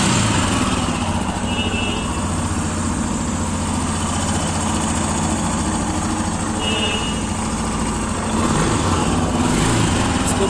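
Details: Royal Enfield Himalayan after replacing the faulty timing chain tensioner (adjuster) whose lock system had failed: a smooth, even single-cylinder thump at steady idle with no chain rattle or ticking, so the engine sounds healthy.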